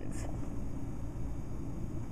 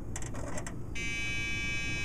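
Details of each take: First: Dell Dimension 2400 booting from a floppy to update the BIOS: scattered light ticks from the floppy drive stepping over a steady fan rumble, normal seeking and reading. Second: Dell Dimension 2400 at power-on with two 2 GB memory modules installed, likely beyond its RAM limit: a few quick clicks then a steady high electronic beep; board rejecting the memory, RAM error beep code.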